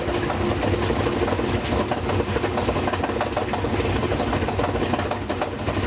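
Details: Brand-new GE washer loaded with 2 blankets, during spin: heavy rapid knocking throughout as the counterweight's bolts have worked loose and the weight hammers the tub; wash and rinse fine, no noise when empty.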